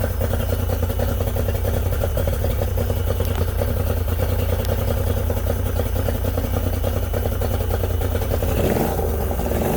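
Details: Yamaha 90hp three-cylinder two-stroke outboard on a 16ft bass boat, carbs cleaned twice, plugs and coils swapped: steady, low, lumpy chugging as it runs on two cylinders with #2 dead; cause unconfirmed.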